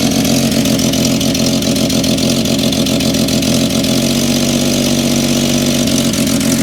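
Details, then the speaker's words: Cold Willys Jeep engine idling unevenly with a loping beat and occasional stumbles because the choke isn't working well and needs a choke cable; runs well once warm, no ticks or rattles, slight smoke at first crank. "so I'm saying is is it needs a damn choke cable cuz my choker over here isn't doing too good but once it gets warms up it runs amazing runs pretty good it's stumbling right"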